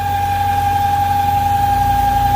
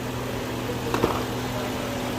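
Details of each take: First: 1998 BMW V8 idling at operating temperature, steady high whistle that stops with a short hiss when the oil filler cap is released; crankcase overpressure from a faulty PCV valve. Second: 1998 BMW V8 at full operating temperature after PCV valve replacement: low, steady, even idle hum with no whistle or hiss; oil cap now comes off without pressure, engine idling smoothly.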